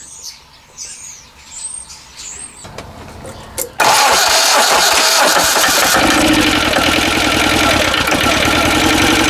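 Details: Westwood lawn tractor with Ruggerini twin-cylinder air-cooled vertical-shaft diesel, previously hydrolocked, first start after new starter motor and cover gaskets: cranks briefly, catches abruptly, settles into steady even diesel clatter at idle, no misses; healthy start.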